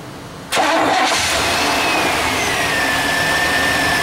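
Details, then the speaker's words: Vehicle at a farm after fitting a new cable and cleaning corroded terminals: short crank, then the engine catches cleanly and settles into a steady, even run. Starts much better and the alternator sounds like it's charging. "okay that started a lot better that started a lot better sounds like the alternator is charging now in here pulling"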